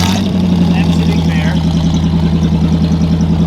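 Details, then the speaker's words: 1974 Chevy Nova V8 at idle with glass packs, restored and painted, heard at start-up: deep, loud, lumpy idle with raw, unmuffled rumble and steady pulsing; loud exhaust from missing mufflers and a leaking pipe joint. "all right we've got some sounds like a turd not good we'll fix it we will fix it"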